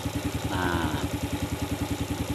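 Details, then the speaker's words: Yamaha Vega ZR idling evenly at about five or six pulses a second with no knock after replacing the worn oversize 50 piston with an oversize 75 piston; piston slap gone, normal idle. "Alhamdulillah suara ngeflek pada motor Vega ZR ini sudah tidak kedengaran karena sudah kita ganti piston nya yang lebih besar"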